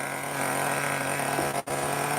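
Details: Traxxas T-Maxx Classic 2.5 nitro RC truck restarted warm, radio gear now fine, nothing left to repair: steady high-pitched buzz at even speed with one brief dropout; idling cleanly; normal idle.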